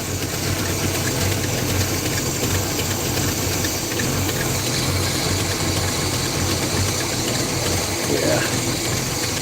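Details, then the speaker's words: Pontiac Firebird V8 with carburetor, warmed up, choke working, after sitting long: even idle with a steady airy hiss over the exhaust note, plus an exhaust leak heard; small vacuum leak. "We got a massive vacuum. Is that what I'm hearing? No. There's a little bit of a vacuum leak."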